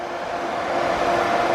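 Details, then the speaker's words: 3.7 V6 Mustang with M122 supercharger and intercooler setup, intercooler fans on accessory power via fuse-box piggyback, switched on with ignition: loud, even rush of air with faint steady hum, no rattle or wobble; fans working normally. "now we're going to test to make sure the fans work yes and you can hear them they're pretty loud and i can feel them on both hands"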